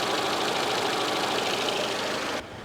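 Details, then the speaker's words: Rover 216i cabriolet, 1.6 Honda DOHC petrol, warm idle, thermostat apparently open, coolant cap off without boiling: steady even idle with light regular valvetrain tick, no knocks or misses; owner suspects high temp gauge/sensor reading is false; normal idle. "if I took this off it would just start to boil nothing happens the engine is running completely fine"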